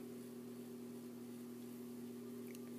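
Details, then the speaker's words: 42" Hampton Bay Littleton ceiling fan running on medium: low hum with a faint higher buzz from one light-kit screw vibrating; touching that screw reduced the noise. "the light kit it has some vibration problems and if the room's completely silent you will hear them you will hear it vibrate"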